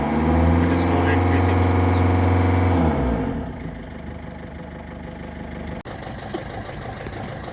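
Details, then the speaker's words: Ford Figo diesel revved to full accelerator: uneven, stumbling beat that sags and won't pull, powertrain light blinking; misfire from cylinder 2 injector circuit fault, with MAF, intake temp and rail pressure codes. "you can see there is a misfiring as well as our transmission control mode is blinking as well"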